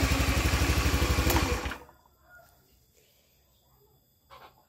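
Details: Honda Vario 110 FI scooter, first start after new crankshaft bearings (6007/6205), oversize 25 piston, seals and full CVT set, exhaust and air filter off: brief even putter, no knock; engine smooth, slight CVT rasp remains.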